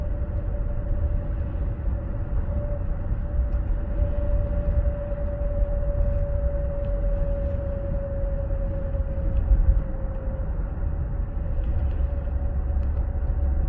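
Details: 2016 Ford Explorer 3.5L, 6-speed AWD, 92k miles, above 50 mph under very light throttle: steady mid-pitched whine over road rumble that stops when the throttle is released; owner suspects the transmission or PTU.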